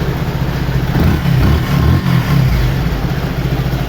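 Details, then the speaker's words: Yamaha FZ V3 FI single-cylinder after fuel pump fixed: short rev blip then smooth steady idle, no knocks or rattles; running normally. "Perfect ആണ് വേറെ ശബ്ദം ഒന്നുമില്ല എല്ലാം clear ആണ് ഓക്കെയാണ്"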